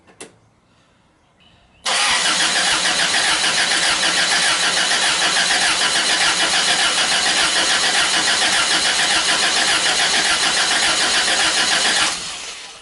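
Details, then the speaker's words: Toyota Hilux drift build with a replacement engine from the wreckers, turned over for the first time to prime the oil with the distributor unplugged: steady, even cranking for about ten seconds without firing, no grinding; normal cranking. "I was in the car I want to turn it over for the first time ever well for me anyway prime up some prime up the oil"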